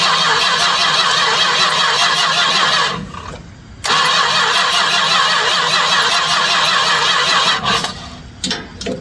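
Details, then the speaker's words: 1967 Chrysler Newport that sat for years, cranked on a jump starter: steady cranking with a brief pause, never catching, and the clear fuel filter shows no fuel being pulled to the carb. Crank no-start, no fuel delivery. "I'm looking at the uh the clear filter I put on there, though. She's not pulling any fuel."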